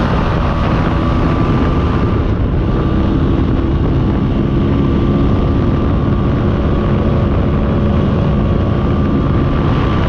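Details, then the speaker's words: Mostly original Spanish Lambretta Jet 200 (Serveta) two-stroke on test ride after carb slide cutaway changed from 1.2 to 2.2; even engine note with faint steady whine, no stumbling or flat spots; mid-range spluttering cleared. "well back from the test drive it was a phenomenal success it runs super smooth silky smooth even i'm quite impressed"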